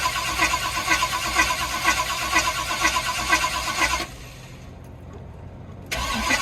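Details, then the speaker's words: 1984 Pontiac Firebird cold start in snow, with mechanical fuel pump and 20 ft of fuel hose: starter churns about two beats a second, pauses, cranks again while the fuel line slowly primes; extended cranking before start. "So I have to crank it a little bit and get it. So it's going to take a little bit of a while to get that primed up."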